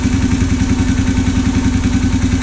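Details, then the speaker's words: Honda 650 of unknown year, brought in as non-running: quick regular metallic knock over a rough low idle, knock returning after stopping; owner suspects slap or water in engine, unconfirmed. "that's very odd that's a gnarly noise just to go away H well it runs it was rattling like Grazy now it kind of stopped very odd"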